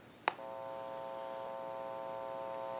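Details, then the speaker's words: Western Electric Trimline telephone after repair, final checkout: a click, then a steady clean mid-pitched dial tone via an open amplified pickup adding slight hum; line is good. "ton on it, and I can press the button and give dial tone or take it away at any time."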